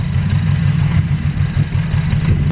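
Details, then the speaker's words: Honda Civic EG at idle: lumpy, uneven low idle with a shaky irregular beat, as if a cylinder is dropping out, worse than the week before; owner suspects the fuel injectors; rough idle. "see our shake of the engine is behind running properly something not right you weren't like this the other week"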